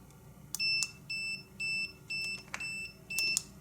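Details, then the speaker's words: Conductance battery tester on a brand-new battery in a new car, in a room of about sixty degrees: it beeps steadily about once a second because the clamps lack a good connection, a poor clamp connection warning. "right it beeps like that it means it's not hooked up properly it's not got a good connection"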